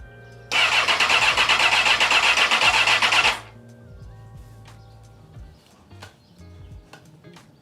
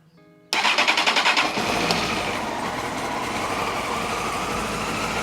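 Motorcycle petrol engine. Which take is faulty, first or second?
first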